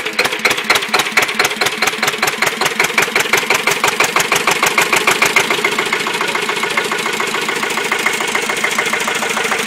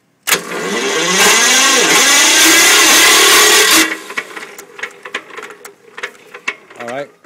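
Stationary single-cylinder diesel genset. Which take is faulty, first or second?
second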